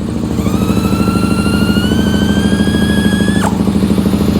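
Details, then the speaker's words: 2001 Suzuki SV650S V-twin, cold, started with starting fluid after a new front spark plug; uneven loping with gaps, running on one cylinder. "let's fire it back up now you can like I said you can you can definitely hear it running on one"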